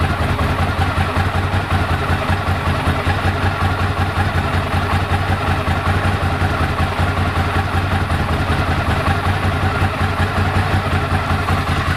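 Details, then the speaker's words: 1998 Ducati ST2, 10,596 miles, new open clutch with extra fibre plate that reduced rattle, original exhaust: steady lumpy V-twin tick over with light even dry rattle, more with clutch pulled in; normal Ducati dry-clutch rattle, healthy engine. "Still got the normal Ducati rattle, which is good, especially when you pull the clutch in."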